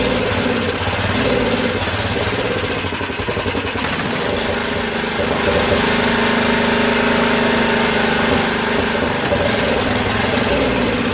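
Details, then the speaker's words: Craftsman 13hp Tecumseh OHV rear-engine tractor, valves just reworked after no compression, running on choke: uneven, hunting single-cylinder thumping that sounds lean, with a lot of water in the fuel; rough running. "okay so that sounds a little lean and she's got a lot of water in it"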